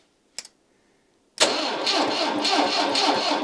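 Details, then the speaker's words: 1989 Citroen CX 2500 GTi, off the road since about 2007, breakdown the day after passing MOT: nothing happens on the key; with power fed direct to the starter there is a click, it cranks and catches into a busy idle with a little throttle, noisy belts. "right now nothing happens when I turn the key but if I take this one out and put it onto the"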